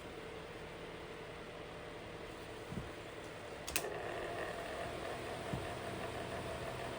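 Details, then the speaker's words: Unknown 6-inch electric fan after tune-up with thrust washers, thick plastic guard, on low speed: steady whir with faint hum and an occasional light rattle, likely something loose in the motor. Moderately annoying fan noise. "I guess that noise isn't too bad, but it's kind of moderately annoying."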